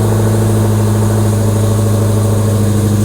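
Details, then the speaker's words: 6.2L supercharged HEMI V8 Hellcat, after parts were swapped out to cut drone: deep loud steady idle, strong low rumble, even firing, no knocks or misses; running normally, quieter once valves open. "It's still loud, don't get me wrong, but at least it's not like super droney in the car, whatever those little valves do."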